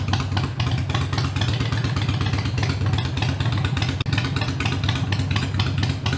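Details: Harley-Davidson Iron 883 around a Sejati Booster setting to reduce engine heat, played for before/after comparison: deep, loping V-twin beat rising and falling with the throttle, smooth, no popping or misfire; engine sounds healthy.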